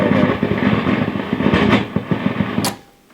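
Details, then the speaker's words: Fender Hot Rod DeVille guitar amp with continuous loud crackle: irregular sharp pops and crackles over steady hum, absent with preamp jacked out, so power stage is quiet; fault in preamp side, apparently around the phase splitter valve. "so we now know there's nothing to do with the power stage we can do that and we've got a nice power stage nice and quiet so it's coming from the preamp side and it seems to be around the phase splitter valve that's all i know at the moment"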